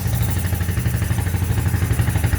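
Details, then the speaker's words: Quadrunner ATV-to-buggy build, engine very cold, no air box connected: fires cleanly and climbs quickly through the revs with an even beat and no misses. Normal free revving. "There's no air, there's no connection to the air box. As you can hear, it revs right up. Very cold, too cold."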